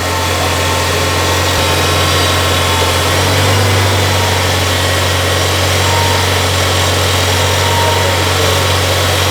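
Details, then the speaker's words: 1994 Toyota Celica with intermittent battery light, idling with accessories on and blower on low: a thin high-pitched whine over the idle swells and fades; noisy, whining alternator. "That's the alternator. You hear that whine, Jake? That's your alternator singing."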